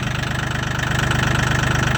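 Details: Mahindra 1635 HST cab tractor, 35 hours, cold start at −22°C (windchill −27°C) after about 1.5 hours plugged in, white smoke: steady, quick, even diesel chug with no knocks or misses; runs a little rough but a normal cold idle.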